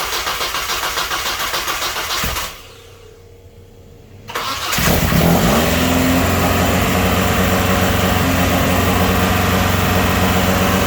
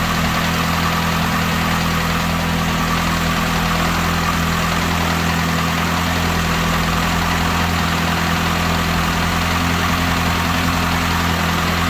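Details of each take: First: Saturn S-Series with rear-mount turbo, first start: cranks, fires, revs up, then holds a fast, steady idle that stays too high like a vacuum leak, with fuel smell from an untightened fuel line. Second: Saturn S-Series with a rear-mount turbo build, first start after fuel line work, with mowers audible nearby: steady, even idle with a constant low hum and no ticks or knocks; normal idle.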